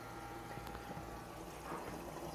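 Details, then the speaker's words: TRFA01 battery-powered fuel transfer pump clipped into a car tank from a gas can starts at once: steady low electric hum with fuel gurgling and pouring, running evenly. "but it kicked in and immediately as you can hear"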